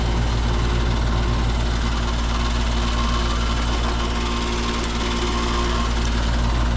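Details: Upstairs air conditioner's condenser, which wasn't running on a call for cooling, fired up after the contactor was checked and pulled in: steady low hum, even drone and fan rush, no clunks or chatter; running normally.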